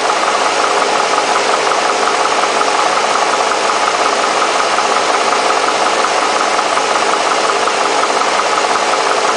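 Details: Mercedes SL60 AMG V8 idling unevenly, with a loose, uneven pulse of roughly three beats a second in its drone: rough idle.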